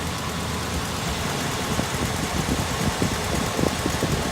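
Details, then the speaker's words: Warm truck idling after Seafoam added to the oil: light irregular lifter-type ticking with belt chatter, worse on one side; the tick's source is unclear and the owner thinks it sounds like injection. "here's where it's really bad here the belt chatter in this side [Music] a little bit of the tick on this side too"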